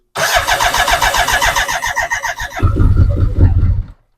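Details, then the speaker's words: BMW K100 motorcycle with a newly fitted fuel pump: uneven cranking with a few firing kicks that never catch, and no pump whine. The owner suspects the fuel pump wiring, since replacing the pump changed nothing. "so you can hear it kicks when it tries to start so I know makes me think it's the fuel pump or the fuel pump wiring"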